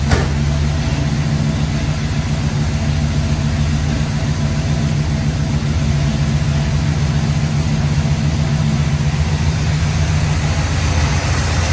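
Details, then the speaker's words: 1966 Pontiac Grand Prix V8, barn find sitting since 1992, first run after plugs refitted: deep uneven loping idle; rough idle, owner suspects timing needs advancing, and non-gasoline contamination found in the fuel filter. "a little shaky I might need to advance that a little bit"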